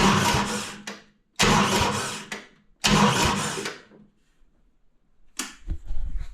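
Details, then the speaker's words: Skid loader 610 repowered with a newly installed diesel, toggle switch powering fuel shutoff and pump, no fuel supply hooked up yet: three long cranking bursts, each firing briefly on fuel left in the injectors, then dying. "so we just flip the toggle on she must have a little fuel in the injector still"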